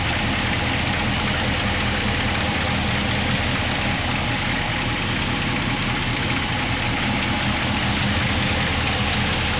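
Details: New stroker 416 LS3 short block V8 while driving: light quick ticking only under throttle over steady running note; rockers previously breaking but none broken now, owner suspects a bad lifter.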